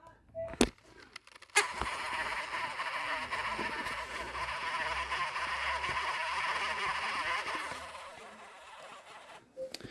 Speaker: my Oculus is acting like this again so